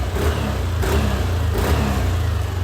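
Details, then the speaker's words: Yamaha Aerox V2 after engine overhaul with crankshaft and camshaft bearings, new piston and block, revved gently: smooth steady hum, no knocks or rattles; noise perhaps slightly reduced, all good. "Nawala naman siguro ng konti yung ingay niya. No? Siguro, yan. Ito na yung tunog na makina mga bossing."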